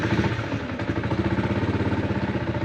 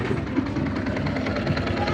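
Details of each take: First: Yamaha Sniper 150 V1 just started and warming up: idle with a loose busy clatter on the firing beat, louder with the clutch lever released and quiet when pulled; worn clutch damper, to be replaced. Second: Yamaha Sniper 150 V1 idling after the clutch damper was replaced: steady even idle, soft low rumble, no helicopter-like chopping rattle with the clutch lever pulled or released; noise fixed.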